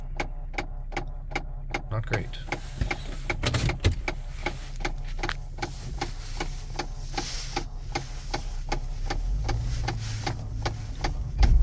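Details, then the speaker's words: Vehicle idling quietly: sharp, even clicks about three a second from behind the dash; owner suspects a sticking blend door actuator, not yet identified which one. "oh yeah you hear that clicking I gotta blend I got a blender where actuator's sticking in the dash I gotta figure out which one it is"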